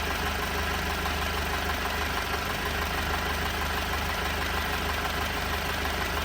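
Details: 2018 Alfa Romeo Stelvio, 52k miles, idling rough with an uneven loping pulse about three beats a second over a steady hum despite a new engine mount, fuel pump and module, spark plugs at 20k miles, belt at 15k miles and cleaned injectors; cause not found.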